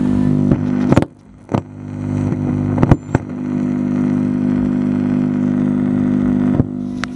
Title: Cara mudah mengatasi suara dengung dan jeduk di sepeker.